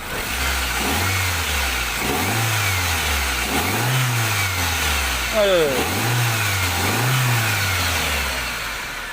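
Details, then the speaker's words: Toyota Soluna after replacing a failed EFI relay that had cut spark and caused a no-start: several clean throttle blips rising and falling smoothly, no misfire or knock; runs normally. "นะครับหลังจากเปลี่ยนแล้วนะครับก็และก็ยนต์สามารถติดได้ปกตินะครับ"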